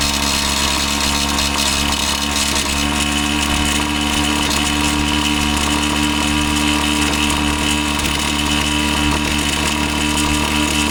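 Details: Husqvarna 525PT5S two-stroke pole saw, previously bogging, on the final run after carb work and a new ignition coil: a steady high-pitched buzz held at high revs while cutting, without bogging or cutting out; it sounds healthy.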